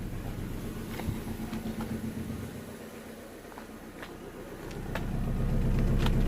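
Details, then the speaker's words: 2010 Vauxhall/Opel Astra H 1.6 petrol, cold idle recorded at exhaust tailpipe, petrol smell: unevenly stumbling, lumpy beat about four a second with dropouts, surging, not smooth; dead cylinder misfire from low compression. "but as soon as the cold start finish you're gonna see you can feel even here you can feel the car is sort of there's no running smoothly sort of surging kind of"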